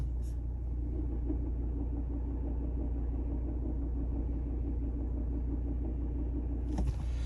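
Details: Volvo V60 Ocean Race Edition idling with clutch pressed about half an inch gives a fast, light knock of about four beats a second, gone with clutch fully down: failing dual mass flywheel.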